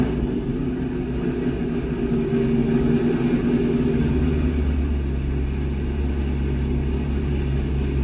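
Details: C6 Corvette V8 with aggressive camshaft and long-tube headers, on a test drive at part throttle after a revised HP Tuners idle tune (825 rpm target, about 80% done): pulls smoothly with an even, steady rumble, no stumbling or surging. Normal running.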